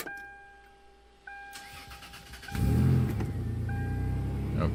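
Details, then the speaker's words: 1999 Toyota 4Runner (3rd gen) after a jumper was clipped across a rat-chewed wire to the engine temperature sensor: dash chimes, brief crank, then the engine fires straight away and settles into an even idle. Normal crank and start. "start it right up you might want to note the engine checklight did not go off this time but after the repair is done it does go off on its own so i don't have to go in and reset the codes"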